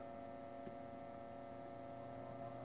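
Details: 1942 Zenith 7S682 radio-phono record player drive motor, sticky soft rubber wheels, run up on variac to about 90–120 volts: quiet, steady low hum, even tone, no scraping or ticking; motor running smoothly.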